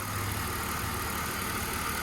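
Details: BMW donor car, 101,000 miles, steady even idle with smooth hum, no knocks or misses; engine sounds healthy.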